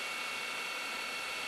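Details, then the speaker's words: Lite-On DVD-VCR combo fast-forwarding a tape, counter jumping about 2–3 minutes per tick. Smooth, steady high-pitched reel whir with no clicks, squeal or rubbing; it speeds up toward the end, then slows automatically so the tape won't snap. Normal. "So I'm going to hit fast forward and listen to it. And you can see how the time just elapses like almost every 3 minutes at that high speed."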